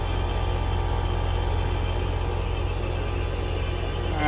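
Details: AC condenser with stuck contactor: steady low compressor hum with fan whoosh running nonstop even with thermostat off and 0 V AC on the contactor coil; lines and coil iced from constant running.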